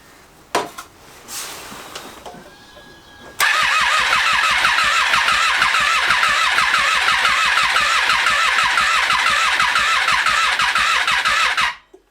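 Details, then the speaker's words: 2012 Triumph Street Triple 675R: starter spins the engine about eight seconds, never catches. Cranks but won't fire. "Now although we could get the bike to turn over, we could not get it to fire. It was sounding a little bit as if the timing was off."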